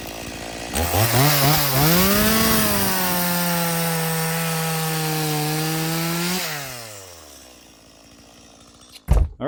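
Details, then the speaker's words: Stihl MS180C chainsaw after a carburetor rebuild: two-stroke revs cleanly to a steady high buzz, then drops to a smooth idle; it revs well, idles well and needs no adjustment. "that sounds pretty good. Um, I'm going to sharpen the chain and stuff for this guy. But, uh, that's, uh, that sounds pretty good. It revs real good. I don't need to adjust anything. It idle idles well."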